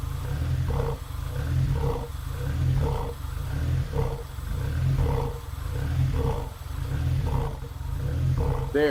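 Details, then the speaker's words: Supercharged 2ZZ-swapped MR2 Spyder at idle with a very strong smell. Revs hunt up and down every second or two but run fairly smoothly with throttle. Owner wonders about bad fuel left in for five months; unconfirmed. "and it's actually kind of idling smoothly but now you can hear it up and down up and down and if I give it a little throttle it might even get a little"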